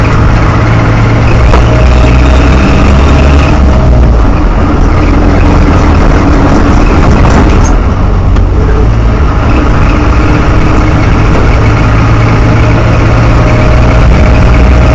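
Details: Land Rover Series 2a at idle: loud idle with a thin, high chirp coming and going in cycles over the engine, source not clear by ear; cyclic chirping/squealing noise.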